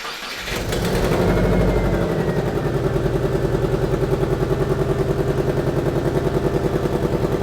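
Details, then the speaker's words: Modified Marketplace show car, naturally aspirated with no turbo: engine starts and settles into a fast, even idle with sharp rhythmic puffing on each firing pulse from the exhaust manifold; suspected manifold leak, maybe needing a new gasket. "Yeah, I mean it's there's a whole lot of noise coming from there. I reckon we just rip this off and try and stick a stud through it and just see if that helps."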